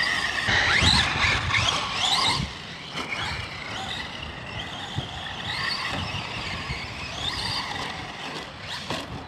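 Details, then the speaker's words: Arrma Senton RC truck with a Gool RC 3670 2850kv motor on 2S: a high scraping squeal over the motor whine that rises and falls with throttle bursts; a loose slipper clutch was suspected, but a stick lodged in the drivetrain was found. "actually sounds like that slippers losing up again yep all right we'll go tighten that up and what do we find in here a big old freaking stick that must been that noise"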